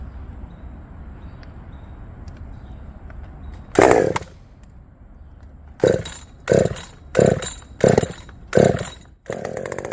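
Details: Redmax 5000 chainsaw after only change, a wide-open exhaust port muffler: idle then five clean full-throttle blasts screaming to high revs; noticeably faster.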